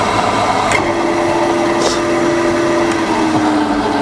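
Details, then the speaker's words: Bridgeport milling machine with 42-inch table, twin-speed motor switched to low range, higher motor speed: steady even hum with one constant mid-pitched tone, no knocks or grinding; spindle runs healthy. "okay so this sleeve it here needs to go to the right okay so that's the higher higher speed and low range"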